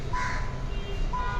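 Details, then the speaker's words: Hyundai Creta automatic petrol after repairing an ECM MOSFET fault behind code P0302 (cylinder 2 misfire): the engine idles with an even low hum while a chime sounds twice. It now runs normally with no misfire or blinking check-engine light. "पहले यह ज्यादा race देते थे तो यहां पर check engine light blink भी करने लगती थी क्योंकि अभी बिलिंग वगैरह नहीं कर रही है और प्रॉपर रेस वगैरह में भी कोई दिक्कत नहीं है।"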